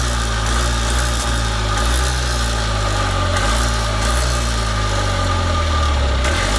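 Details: Columbia Parcar golf cart running again on a squeeze-bottle tank, with the original tank's gas rancid: steady, even low putter at idle with no misses, knocks or surging; a normal idle.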